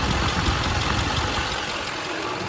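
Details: Chevrolet Duramax diesel at idle with the AC on, after recharging the refrigerant: idle clatter, steady low rumble and an even rushing note, no squeal or grinding; the compressor clutch is engaged, cold air is blowing, and it runs normally.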